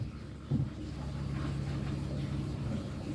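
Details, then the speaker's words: Pump for a snapping turtle tank, tested after draining: steady low motor hum, no load change or water surge; spins but won't pull water, possibly air or something stuck. "Trying to suck. It's trying to. Still no good."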